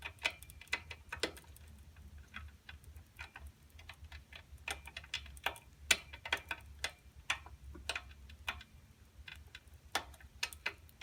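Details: Schwinn Meridian tricycle while pedalling, with sharp dry clunks about twice a second. The primary (front) of its two chains was set too tight at the factory, an overtightened drive chain.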